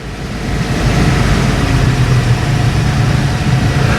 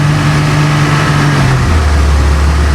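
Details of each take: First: Bayliner cabin cruiser MerCruiser inboard, warmed up, idling out of gear: steady even low rumble with smooth regular beat, no knocks or misfires; ticking over cleanly, the speed normally used up the river. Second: Bayliner cabin cruiser MerCruiser inboard started after months laid up, fuel about 2 years old, weak battery: low lumpy note with sudden pitch drop, engine hunting unevenly just after cold start; owner says it always stalls a couple of times.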